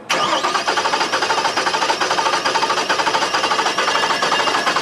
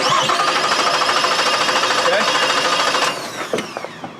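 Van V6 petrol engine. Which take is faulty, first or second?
first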